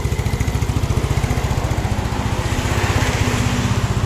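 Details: Yamaha Mio Sporty scooter after rebuild for lost compression (previously no compression, light when kicked), leftover oil in the exhaust; quick even putter at steady idle with no misses, knocks or hunting; runs smoothly.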